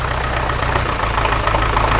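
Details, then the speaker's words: Massey Ferguson MF35 diesel tractor, first start after repairing cracked cylinder head water channel, primed fuel and start pilot used, cold engine: steady even diesel chug at idle, no knocks or misses; runs well for a cold engine. "quite good as well for a coold engine now I'm going to let it warm up and see what happens"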